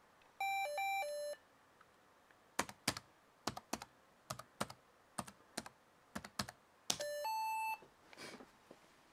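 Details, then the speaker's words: Lenovo ThinkPad T61 with a failing hard drive: a rising three-note chime, irregular key clicks, then a falling two-note chime; unexplained alert, resembling the PCMCIA insert/eject sound of older Dells. "You know, that sound actually sounds quite a bit like the PCMCIA eject and... or is it eject or insert? The insert command on a lot of older Dells. That's what it sounds like."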